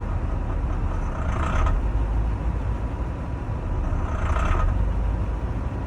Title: rough idle after engine warm